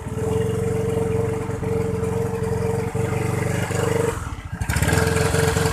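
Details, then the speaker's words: Used Honda Vario 110 Techno scooter started up while checking for misfire during a used-bike inspection; starts readily and settles into an even steady putter with no skips or stumbles; normal idle. "Kemudian dengarkan suara mesinnya teman-teman, apakah dia ngopot atau enggak ya, bisa dilihat di sininya ya. Ini aman ya teman-teman."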